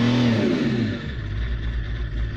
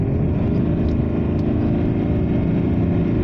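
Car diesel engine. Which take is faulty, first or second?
first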